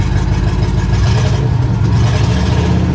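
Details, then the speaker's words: Old truck started without a jump pack, with good oil pressure and the battery charging: steady, even low rumble with no misses, knocks or ticks; the engine runs smoothly and healthy. "Battery's charging like it's supposed to. She's happy. What a great old truck."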